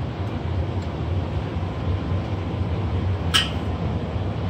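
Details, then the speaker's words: EG-11 two-pipe steam boiler after McDonnell & Miller #67 low water cut-off blowdown and refill: faint click then steady low roar as the burner relights normally. "we're going to test the low water cut off and this is how i'd advise doing it just open it up burner should shut off and then let it refill and hear the burner come back on again"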